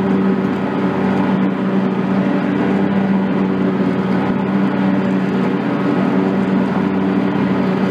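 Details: John Deere X300 rider with Kawasaki FH-series engine, 17 hours, after fixing a no-start/runs-and-dies fault from a stuck fuel shutoff solenoid; steady constant-pitch hum at good throttle with the clutch engaged, no surging or dying, running normally.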